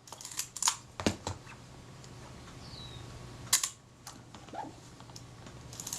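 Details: Kodak Retina IB camera after service of a locked-up mechanism: crisp, separate clicks of shutter release and film advance in a quiet room, each clean and even, a working mechanism.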